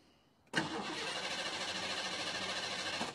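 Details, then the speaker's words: 5.0L Mustang with EEC-IV TFI ignition: after the module was lightly tapped and the engine stalled, the starter spins it steadily for under three seconds but it never catches. Spark is cutting out from the failing TFI module; twisting the module lets it prime again. "yeah I barely even tapped it this installed on that one ah and now it's a no start key off key on"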